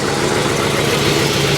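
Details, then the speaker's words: 1953 Pontiac Chieftain straight-eight (Super 8/Silver Streak), warm just after a 50-mile drive to a car show: steady, even idle with no misses, ticks or knocks; purring like a kitten, running normally. "There she is, purring like a kitten, man. I told you she'd make it."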